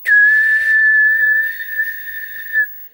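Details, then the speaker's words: CRT TV that would not power on: at power-on it shows standby, then a steady piercing whistle holds for about two and a half seconds with no picture while a resistor heats up; cause a shorted diode. "cuando nosotros le damos la otan de encendido se me presentaba standby pero inmediatamente empezaba un silbido"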